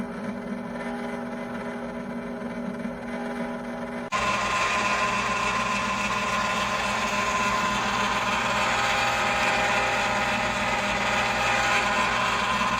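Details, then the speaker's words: Cuisinart ice cream maker churning a very thick chocolate mix: loud, steady motor drone with a busy upper hum and no knocking; loud motor noise, owner is considering returning it. "So my concern is how loud it is. It's so loud, I am considering returning it."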